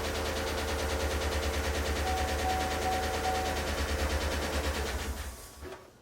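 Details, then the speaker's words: Chevrolet V8 with Displacement on Demand (Tahoe/Silverado) idling with a steady tick about three per second over the exhaust beat, sounding like a light misfire but none felt; no misfire codes, P0106 MAP and bank 2 fuel trim codes; suspected collapsed lifter. "Now you can hear how loud that thing is. You know what? It sounds kind of like it's got a light misfire."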